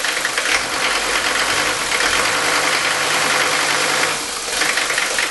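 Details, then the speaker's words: Mercedes five-cylinder diesel with worn injector nozzles, before Bosio nozzle replacement: rough idle with a loud, rapid metallic knocking clatter, like ball bearings rattling inside. "I want to show you what an engine sounds like that has bad nozzles when I crank this up I want you to hear the knocking now not only is this engine running rough as you can see it also sounds like there's ball bearings inside"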